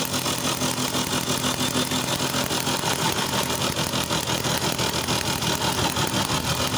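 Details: TVS XL Super two-stroke moped after reassembly with reed valve fixed for a starting problem, kick-started: buzzy, even beat holding steady speed without stumbling; starts and runs properly.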